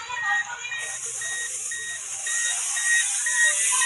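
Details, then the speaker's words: Ola electric scooter, left indicator: front blinks fast and rear doesn't, with a continuous rapid loud beep about two per second; showroom blamed rat-chewed indicator wiring. "Front side ನೋಡಿ ಸೌಂಡ್ನು observe ಮಾಡ್ತಾ ಇರಬಹುದು full continuous ಆಗಿ ಬಹಳ speed ಆಗಿ ಜೋರಾಗಿ beep ಆಗ್ತಾ ಇದೆ"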